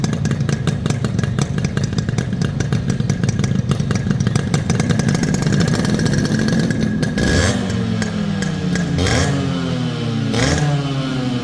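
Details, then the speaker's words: Restored Yamaha RX100 two-stroke: crisp, even pops at idle, then clean throttle blips rising and falling smoothly; healthy exhaust note. "ரெண்டு வண்டியோட beat sound கேட்டிருப்பீங்க எப்படி இருக்குங்கறத மறக்காம மறக்காம comment பாக்ஸ்ல சொல்லுங்க"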